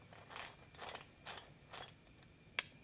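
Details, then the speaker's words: Massey Ferguson 35 Continental Z134 gas engine oil pump after rebuild, gear pressed on by machine shop, turned by hand: dry scraping rasp in bursts about twice a second, gear rubbing on the back of the cover. "It's like rubbing on the back of the cover. That is going to have to wear itself into place."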